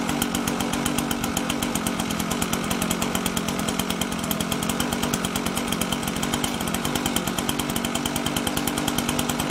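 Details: Husqvarna 125BT backpack blower two-stroke, spark plug wet, running after restart: buzz at high speed stuttering unevenly, firing breaking up now and then; spits, leaking somewhere; running rough.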